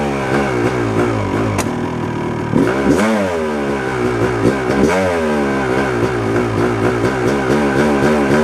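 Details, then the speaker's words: 1997 Yamaha YZ250 two-stroke, 10–15 minutes into warming up, won't idle without throttle: uneven burble, revs surging and dipping every second or so, worse in gear than in neutral. Owner suspects a crank seal or the crankshaft; sputtering erratic idle. "Uh, after all, it's it's acting up when I put it in gear. Not so much when it was in neutral and I pulled the clutch in and, you know, started playing with the throttle and not so much sputter when it was in first gear."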